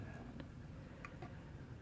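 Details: Vintage Japanese Kaguhi TC-180 timer switch (180-minute, 125/250 V): light dry ticks, about two or three a second, even and unforced; clockwork mechanism running normally.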